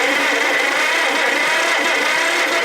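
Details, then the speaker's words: Rebuilt Delco-Remy 1107200 starter for a John Deere Model 40 crawler/dozer, bench-tested on 12 volts instead of 6: smooth, even, steady whir with no grinding or chatter; healthy starter cranking. "All right, fire in the hole. Ooh, yeah. That's nice."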